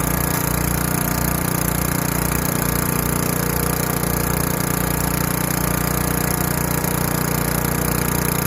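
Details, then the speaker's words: Craftsman Eager 1 4hp chipper vac 987.799790, auction flip, with a hose of about 10 ft, vacuuming wet, gigantic leaves. Steady engine drone at constant speed, smooth rhythm, no knocks or misses; running healthy under load. "So it seems to be sucking up, and hey, besides the leaves are kind of wet and they're gigantic leaves, seems to be working just fine."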